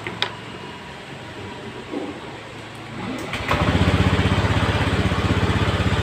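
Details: Honda Beat Eco injected scooter after repairing and rubber-wrapping the wire chafed by the air filter box, previously stalling with late throttle; fires after a few quiet seconds into a steady, regular beat with clean pickup: running normally.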